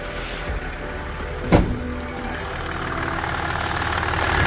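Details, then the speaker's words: Range Rover Sport L320 3.0 V6 twin-turbo diesel after inlet manifold replacement (burst manifold caused P1247/P006A restricted performance), running a minute or two: single blip then steady, even idle, no ticking, hissing or misses; healthy. "So she sounds good, she does sound good."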